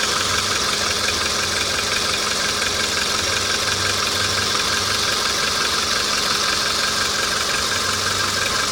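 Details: Hot VW Polo engine at an even idle with a fast, regular ticking knock, roughly three per second, over busy engine clatter.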